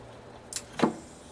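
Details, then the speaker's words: Stepper motor on a CNC drive with PlanetCNC MK3/4 control board, powered up: a small click, then a solid clunk as the magnets engage, followed by a faint high hiss. The motor was damaged and normally runs nearly silent. "Remember what I said, over there you're going to hear a bit of a chunk noise as the motors, the magnets engage."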